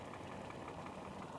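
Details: Toyota Yaris brought in for not starting, checked with scanner: quiet, steady low hum at idle with no misses or knocks; engine now idles smoothly.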